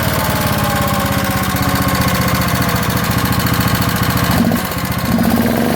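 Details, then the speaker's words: 1972 Montgomery Ward single-cylinder generator made by Pincor, with good compression, running at steady speed: a sharp metallic tap on every turn rides over the exhaust. The engine is tapping, possibly from a worn rod bearing. "so I'm not sure how good you're gonna hear in the video but it's making a lot of tapping noises"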